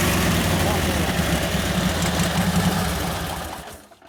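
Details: 1952 Harley-Davidson Panhead 74ci, fresh top end and rebuilt Linkert carburettor, engine hot: revs up and carries throttle, uneven and ragged, then dies away; mixture still too lean, about five turns out from where it was set.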